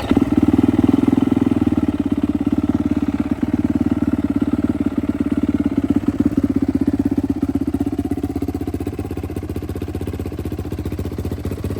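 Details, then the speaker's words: Rebuilt turbo Yamaha YZ450F now 500cc on E85 with drive-by-wire throttle body, restarted after being put back together, starts easier than previous setup; single cylinder idles with a steady even thump, no misses or clatter, healthy. "I'm just happy to hear it run again. It definitely starts a lot easier than my last setup, which I don't have an explanation for."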